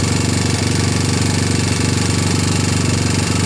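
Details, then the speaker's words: Free 1999 Honda TRX250X, cold start on starting fluid with a portable CDI and a PZ27 carburetor: steady fast tapping, about two a second, over the single-cylinder idle. Valves were checked and felt good; owner suspects a loose timing chain. "I think the next thing to do is start exploring to make sure the timing chain is tight enough because I you know like that tapping up on top"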